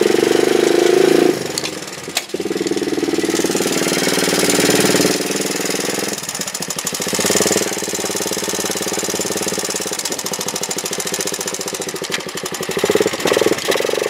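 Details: Honda chopper ridden after cutting off an over-welded battery bracket piece: a steady engine drone and road rush with no rubbing or scraping from the chain; it now runs clear and quiet.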